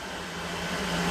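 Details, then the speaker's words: Creality Halot Mage Pro resin 3D printer during device check screen test: steady even airy whoosh with low constant hum, no rattles; the fan cooling the screen running normally. "So obviously the fan that you can hear is just cooling down the actual screen itself."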